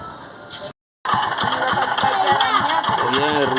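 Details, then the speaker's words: Eco Deluxe motorcycle engine running: a steady, hard bottom-end knock about three times a second, identified as a worn connecting rod and crankshaft bearing. The engine is being removed for teardown. "el ruido de ese motor. Sonido de biela, balinera de cigüeñal."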